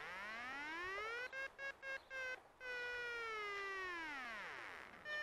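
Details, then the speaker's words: DIY Arduino-based sailplane variometer on a plane descending to land: an electronic tone breaks into beeps, then settles into one long note sliding lower; the sink warning flatlines on a faster-than-expected descent. "I didn't think what's coming down that quickly but now that I can hear to my ear it's flatlining look"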